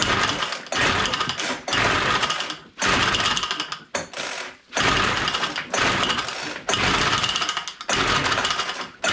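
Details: Abandoned WeedEater Featherlite string trimmer found full of water, no spark initially, spark now confirmed: each pull gives a short ragged burst of firing that dies within a second; catches but won't keep running.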